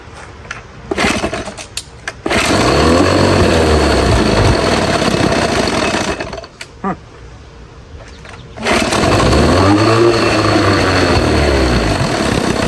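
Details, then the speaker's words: Old Evinrude two-stroke outboard after years in storage, first run in a test tank on choke: catches and runs unevenly, revs surging and sagging, dies without choke and won't take throttle; suspected dirty carburetor. "Alright, well, unfortunately on this old motor, I put it on the test tank and it didn't really want to run great without any choke. It kept wanting to die out and it just didn't want to take any throttle. So I'm assuming that's something to do with the carburetor"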